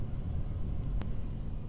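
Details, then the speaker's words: 1981 Corvette C3, key in run, heater control switched off; steady low blower fan hum with a single click keeps running, stopping only when the fan speed resistor or relay is unplugged: blower runs with control off. "I'm going to turn the key to run. Can you hear that? That is a fan."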